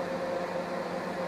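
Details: Scarlett SC 291 microwave after replacing failed transformer supply relay and 5 W 47 Ω resistors, heating water; steady, even hum with faint mid tone, no crackle; normal running after repair.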